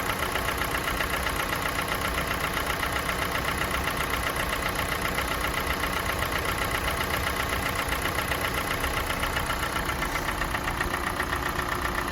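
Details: Kia Sportage 4G 2017, G4NA engine, 265,500 km, warming idle after cold start, oil level normal: fairly regular light knock about four per second over hum, absent at start; owner thinks not piston slap, cause unknown.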